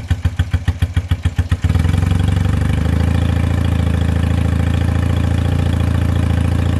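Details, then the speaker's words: 1978 Honda CB250 Twin after valve clearance adjustment: cranking chuffs, catches and settles into a low, slightly uneven idle; responds to choke but sputters whenever given throttle and won't rev; lean carb mixture suspected, not confirmed. "it is not like to rev as you could hear in the video whenever I tried to give it a little bit of throttle it just sputtered and it wasn't happy"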